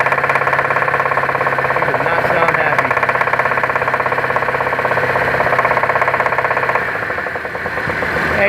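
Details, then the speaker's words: Chevrolet Traverse at idle in a shop: steady, even internal knock about three times a second, keeping pace with the engine; cause not yet found. "And he's got a knot going on in there. There it is."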